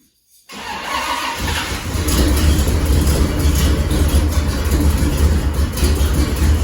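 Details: 1979 GMC Caballero (El Camino) big-block V8 after repairing several bad exhaust leaks; fires up and settles into a deep, steady rumble with no ticking or puffing.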